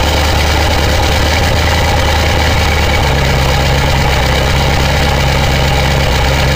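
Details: 2000 Ford 7.3 Powerstroke diesel cold start in 7°F Wisconsin weather (about 10 above said): steady, low constant rumble with no hunting or lope, white smoke; normal cold diesel idle.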